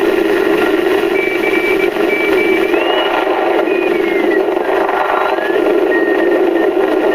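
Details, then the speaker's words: National NC-155 ham receiver, being restored, filter caps not yet replaced, tuned to 40 m after dead 80 m band in early morning; even static hiss with clean carrier whistles gliding while tuning: normal shortwave reception. "I tell you the truth I think we got a pretty good receiver here"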